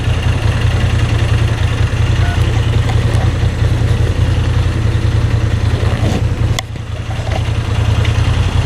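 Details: New Moto Guzzi V7 III, warm after 75-mile ride, idling in neutral with clutch pulled in: deep steady twin idle, only faint light rattle; rattle much reduced versus clutch out, cause unconfirmed.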